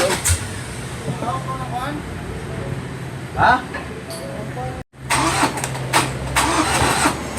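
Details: 2018 Ford Ranger 2.2 diesel: starter cranks the engine over at a steady cranking beat for several seconds, but it never catches or fires. Crank, no start.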